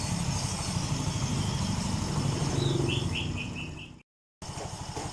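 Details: Yamaha Mio M3 scooter with weak power and flashing MIL code 28 (engine temperature sensor), after ECU data reset: temp now reads 59° instead of -20°, O2 sensor working; low, even idle with steady pulses, higher than before, runs smoothly.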